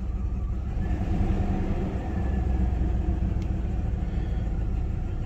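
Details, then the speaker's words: 1999 Dodge Durango after 14 years sitting, exhaust manifold reinstalled: low, lumpy idle with faint uneven beat; misfire because two front spark plug wires were swapped on the firing order. "it definitely wasn't missing before I look at that firing order it did have these two up front backwards I I knew it I knew it didn't sound right"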